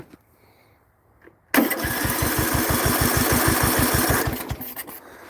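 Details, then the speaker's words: Briggs & Stratton 16hp single-cylinder with no power and stalling, new carburetor, valves adjusted, spark plug unhooked: the starter spins steadily with even compression pulses about three per second; compression sounds halfway decent. "So, it seems to have halfway decent compression. I'll unhook the spark plug to show you the compression."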